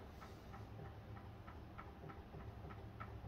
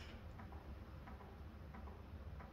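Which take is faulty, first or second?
second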